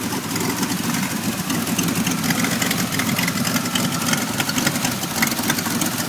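Uneven, lumpy idle with an irregular stumble and busy top-end chatter; the engine runs but clearly not smoothly. Cause suspected, not confirmed.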